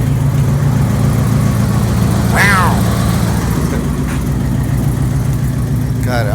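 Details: 1995 Dodge Ram 1500 V8, after replacing crank position sensor (no spark, died at 75 mph): steady, even low rumble at idle with no misses or knocks; idling normally.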